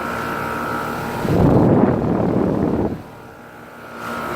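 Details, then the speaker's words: 2015 2.5-ton Tempstar central air heat pump outdoor unit starting in heat mode: rush of fan air and steady compressor hum, smooth and even with no rattles; healthy running. "2015 two and a half times both sounds really good I like this unit"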